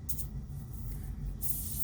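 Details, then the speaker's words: Airbrush air valve with hose only, compressor running: when pressing the valve a short burst of air hiss cuts out for about a second with a little thump, then flows again over steady compressor rumble; valve hesitation. "Air, hesitation, and then all the way down I get air. There's this little, I don't know if you can hear it. It's like this little hesitation, like a thump."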